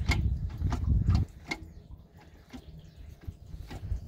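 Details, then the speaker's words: Fiat Multipla clatter when shifting: irregular sharp clicks and light rattles, about three a second, over a low rumble; owner suspects gearbox or driveshaft joint, origin unconfirmed. "hört sich eigentlich so an als wäre es nur im Getriebe drin ne du kommst aus dem Dings hier aus dem Gelenk"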